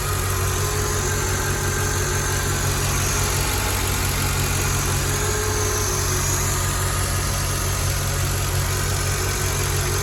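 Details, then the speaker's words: Mercedes ML55 AMG V8 after oil catch can install, check engine light on for an EGR fault: steady, even idle with a low smooth pulse and a faint hiss, from the dipstick sitting out because of a worn O-ring rather than a vacuum leak. Normal idle. "Idling fine. It almost sounds like I hear a vacuum leak or something, but oh, that's why my dipstick is out a little bit."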